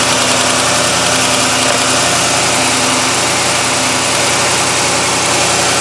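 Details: 2011 Ford F250 6.2 L gas V8 idling with a fast, sharp ticking like an exhaust leak: spark leaking from a corroded coil-on-plug boot, second coil also found doing it.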